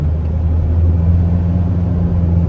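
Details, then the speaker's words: 2013 Ford Ranger XLS 2.2 ex-mining truck, in-cab at cruising speed: steady low droning rumble with no knocks, road noise from the mud-terrain (MT) tyres still fitted. "karena masih pakai ban MT seperti suara di dalamnya masih kedengeran suara bising ya suara berisik dari ban tersebut"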